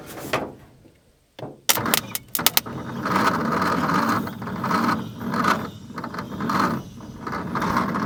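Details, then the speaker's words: 1950 Nash Statesman engine, unrun for 23 years and stiff, cranked on a weak 6-volt battery with plugs and leads fitted: a few clicks, then slow heavy laboured turns under a second apart, never catching; slow cranking, no start. "Well, that's not good. But we do have another option. It's stiff. It hasn't run in a lot of years in 23 or something like that to be exact."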